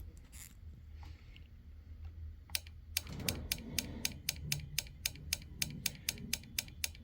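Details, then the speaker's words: Honeywell gas control valve from a water heater that won't stay lit, bench-tested with simulated control-board voltage and reversed polarity: crisp even clicks show the valve solenoid moves and is good; the control board is faulty. "we should hear it click if we don't hear it click then we could then we know the valve is actually not moving so that valve is actually good"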